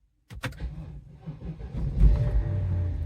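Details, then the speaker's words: BMW X5 4.8i (E70) V8, after replacing all eight spark plugs: a few quick clunks and a short crank, then it catches within about two seconds and settles into a steady idle; a clean start. "Started right up. Fresh spark plugs work wonders."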